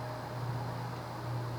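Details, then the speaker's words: 1990s Quorum Gallery 60 60" ceiling fan, model 350605-33, 188x20mm motor, 11.5° blade pitch, possibly warped blades, on low speed, which runs rather fast: quiet hum with a subtle cyclic flux buzz swelling and fading about every second, audible in a quiet bedroom. "It has a slight cyclic flux buzz. It's subtle though. I mean, if you had a quiet bedroom, you'd hear it, but it's not as absurdly loud as some other cases."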